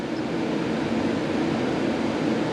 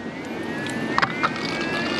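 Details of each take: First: BMW E9x after radiator flush, engine off, ignition on, electric water pump running its bleed routine with heat at max: steady hissing rush and buzzing fizz with watery churn; trapped air being purged from coolant. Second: BMW E9x electric coolant pump running with the ignition on and heat at maximum to prime the system after a radiator flush: a thin steady ringing whine rises as the pump spins up, with splashes of coolant. Normal electric coolant pump running.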